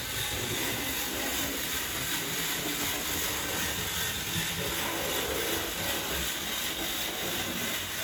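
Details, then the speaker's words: Lego train running on a track layout at speed: steady light hiss and rattle of the small motor and wheels, even and uninterrupted; runs smoothly. "But yeah, it runs really well."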